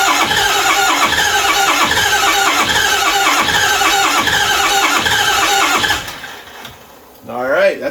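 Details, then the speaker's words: 6.0 Powerstroke diesel with a ZF6, sat nearly a decade in the woods, cranked after running the glow plugs; the fuel pump sounds bad. A cranking beat of about three a second with uneven catches as some cylinders fire and heavy tailpipe smoke, then a squeal: misfiring, not running. "a good sign it's firing on some cylinders I'm going to run the glow plugs again and the injectors it is smoking fiercely out the tail pipe so we ought to open this garage door"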